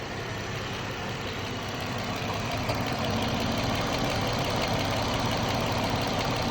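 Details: 2014 Jeep Wrangler 3.6 Pentastar at steady idle with a light, fairly even tick about three per second; owner asks whether rocker arm or valve tick, likely valve train.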